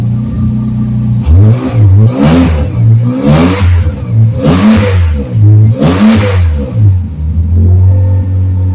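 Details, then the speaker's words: Ford Torino turbocharged inline six after a new exhaust system was installed: a deep, smooth burble with a few revs, much deeper and without the raspy pitch it had before, so the exhaust sounds normal. "it's definitely a lot deeper without as much of a raspy pitch as what it had before so that's positive"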